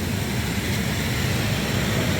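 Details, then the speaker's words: Jacuzzi spa pump after electrical repair on a service call; steady low hum with a constant rush of water, no knocking or squeal, no leaks, running smoothly. "No, nothing. See, that's the pump that's on right now. Then this one will kick on."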